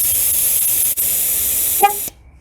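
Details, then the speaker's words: Steady hiss of air let out through the valve stem of the driver's side front tyre of a Pontiac (GM TPMS) in relearn mode, then one short horn chirp as the sensor is learned; the TPMS light went off. "Okay, so at this point you just want to go in there and let some air out of the tire until you hear the horn honk."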